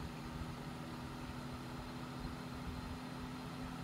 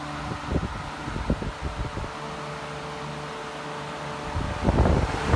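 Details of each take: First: Hunter 12" table fan (special edition, April 2004) on speed one after cleaning: steady low hum with constant drone and rough rumble; abnormal noise it did not make when filthy, cause unknown. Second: Hunter 12" special edition table fan from April 2004, not yet oiled, at full speed: steady motor hum with soft even beat about four per second and air rush; normal running at full speed.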